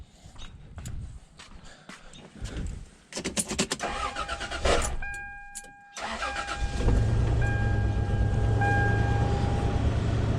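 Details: Toyota 4Runner after a gasket fix: clatter and cranking, then catches and holds steady even idle with no stumble; repaired.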